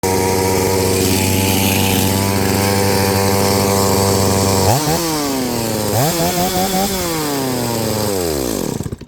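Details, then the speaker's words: Chainsaw started after about six pulls without decompression after roughly 3 years of sitting, with a bad starter assembly, holds a fast, high-pitched idle, then blips up and down before shutting off; carburetor idle is set way too high. "carburetor's way too high but after about six poles without the decompression it started right up for a gymnos Maximus seems pretty strong I'll try to idle it down a tad"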